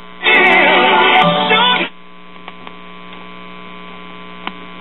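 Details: Circa-1941 Aircastle five-tube series-string AM radio chassis from a radio-phonograph, under repair: a short loud burst of static, then a steady low buzz through the speaker.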